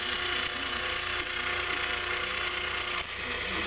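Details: Open cam limit switch misadjusted on an RCS SURE 25-10 CCW actuator with SCC-10 servo board: the motor is live and keeps running past full counterclockwise, a steady gear-motor whine with light ratcheting buzz, not cutting off. The open cam needs adjusting until the switch clicks.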